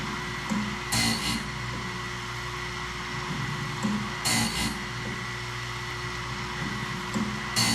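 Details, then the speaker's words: Wood-Mizer BMS 250 sawmill blade sharpener on first test run: steady motor hum with a short grinding burst about every three seconds as each tooth is dressed, dropping into the gullet properly; running normally. "So guys, I got it running, and I think it's running pretty good. It sounds good, it looks good, it's dropping right into the gullet how it's supposed to."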